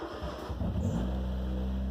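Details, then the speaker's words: Turbocharged Miata with 5-speed transmission, starting with clutch pedal in: engine cranks, catches and idles steadily with no rattle. Engine sounds fine; grinding appears only when the clutch engages, traced to shredded 2nd gear. "no problem everything sounds fine when the clutch pedal is in and you haven't neutral then you know the motor revs fine idles fine and everything like that"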